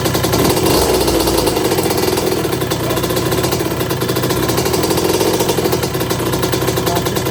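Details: 1982 Suzuki RM125 two-stroke during restoration, after suspected carburetor fuel starvation and swapping in the other part: sharp, raspy buzz at a quick steady idle, firing evenly, no misses or knocks; sounds nice.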